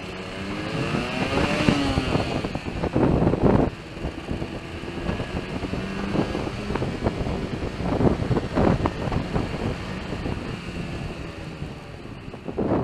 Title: RD125LC YPVS Splutter/Misfire